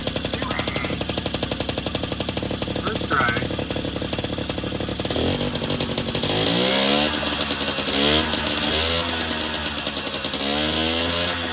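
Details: 1980 Yamaha Champ 49cc oil-injected two-stroke scooter after new cylinder and piston kit, revved by hand due to broken throttle: crisp buzz at idle, clean climbing revs when blipped, fires evenly; runs healthy, throttle needs replacing.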